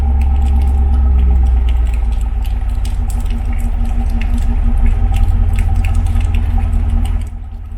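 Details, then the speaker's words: Ford 7.3 V8 in a base single-cab 4x4 truck, bone stock with capped exhaust, not a cold start, heard from the rear: deep, steady low idle in the 600s rpm, no knocks or misses; healthy. "a real low idle on it in the 600s."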